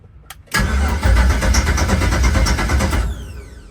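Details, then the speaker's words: LS-swapped 1972 Chevy Nova, first start after five years, newly wired PSI harness and fuel relay: starter cranks, engine catches and roars about two seconds then dies; fires briefly but won't keep running. "All right. Well, it cranked over for a second. It wanted to start."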